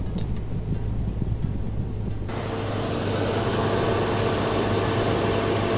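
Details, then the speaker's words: Car idles smoothly with a low even hum after replacing the worn AC compressor clutch and spacing the plate from the pulley; a soft airy rush as AC engages and engine note changes, no screech or grinding; normal AC compressor operation. "We got the AC button on. If you turn that off, you might hear the engine change"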